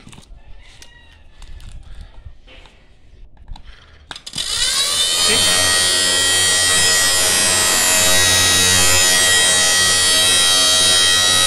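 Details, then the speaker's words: Inverter welding machine switched on: steady buzzy hum with fluttering flapping rasp from the internal fan blade striking a loose wire. "so today we have a inverter welding machine that has a flapping sound we will gonna open this let's see what's inside and what's causing the flapping sound"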